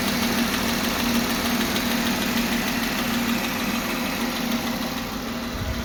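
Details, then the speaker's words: Engine (Jeep) at steady idle with a light ticking about twice a second, faint against the engine note; worn camshaft bearing, new bearing and washer for the camshaft about to be fitted, camshaft to be replaced if damaged. "so that ticking noise you can hear in the engine uh hopefully fingers crossed it'll be the last time you hear it today i'm taking it into the garage the parts have just arrived from the us it's basically a new bearing and washer for the camshaft"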